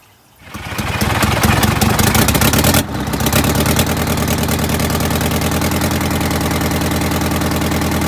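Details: Detroit Diesel 8V92TA in a Wanderlodge RV, after fitting a new injector (the old one failed testing), run on water instead of coolant: it cranks and settles to a loud idle with an uneven, lumpy miss. A borescope then showed a scored liner.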